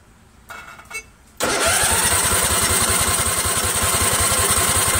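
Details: Craftsman 20.5 HP Kohler Command V-twin lawn tractor, choke off, running off the original rear fuel tank: after a click the starter spins the engine at a steady four beats a second but it never fires; owner suspects fuel not yet through.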